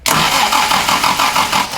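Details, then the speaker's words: 1967 Morgan Plus 4 Drop Head Coupe, not run in years, cranking with choke on: quick rhythmic cranking churn with a short sputtering catch, engine coughs ("snorted") but does not fire; owner suspects ignition timing way off. "all right stop oh it's snorted that's a good sign"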